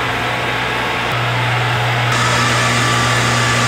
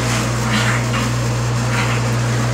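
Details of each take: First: Bottle-washing machine draining its first soap wash before refilling with boiling rinse water: loud steady drone with constant low pump hum cutting out near the end; normal draining. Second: Bottle-washing machine pump running almost dry during a flush with the emergency stop engaged: loud steady low drone with a rough hiss, little liquid present, spraying toward the ceiling.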